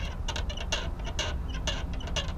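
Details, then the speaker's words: Old rusty cupboard latch, heard while rocking the cupboard by hand: sharp creaky squeaks and rattles about twice a second despite felt pads; the rusty latch causes the rattles. "That noise is from this latch right here, this old rusty latch. That's what's causing the rattles."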